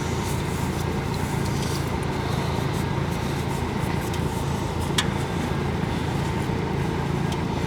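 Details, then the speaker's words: 1985 Honda Goldwing GL1200 Aspencade, rejetted for ethanol, up to temperature with the radiator fan on, before an oil change: smooth, even idle with a steady low hum and fan whoosh, no ticks or stumbles. Healthy warm engine. "In fact, I don't know if you can hear it, but I can feel it. The radiator fan is on. So that engine is definitely up to temperature now."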